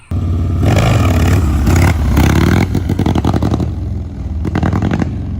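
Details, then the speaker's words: 2001 Harley-Davidson Sportster V-twin with Mikuni HSR42 carburetor, before carb clean and rebuild: revs unevenly and stumbles with an irregular, lumpy beat; running rough, owner suspects carb issues. "sounds like [ __ ] don't it"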